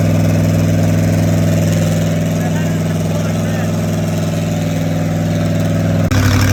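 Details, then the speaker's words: Rat rod small-block Chevy 350 V8 freshly fitted with a turbo cam, replacing the stock one: deep, steady beat with an even rhythm, no ticks or knocks, running smoothly; normal running. "so a lot better we finished the rat rod up with a cam swap last night and we got it all broken"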